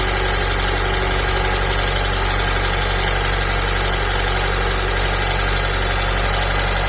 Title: ALFA 159 JTS TIMING CHAIN RATTLE NOISE BEFORE CHANGING